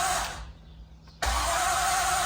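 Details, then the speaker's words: 1973 Triumph Stag 3.0L first start after engine rebuild: steady, even starter whir, engine turning over but never firing, oil pressure about 40; no fuel smell at the back, fuel apparently not reaching the engine yet. "I don't smell anything at the back, so we haven't got any fuel to it yet."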